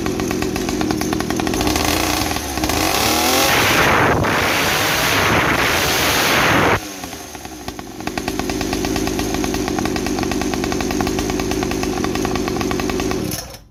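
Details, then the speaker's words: Mini 50cc two-stroke trail bike exhaust, camera at 40 cm, before silencer modification: sharp raspy buzz blipping up and settling to a fast crackly idle, far too loud; loud exhaust. "Nah itu ya suaranya kencang banget Nah nanti kita bongkar dulu baru nanti kita akalin"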